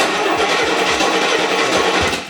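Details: Barn-find Rolls-Royce on a new battery, about 8 V at the coil while cranking (12 V otherwise); steady starter cranking at three to four pulses a second that never fires, with no spark, traced to the distributor cap.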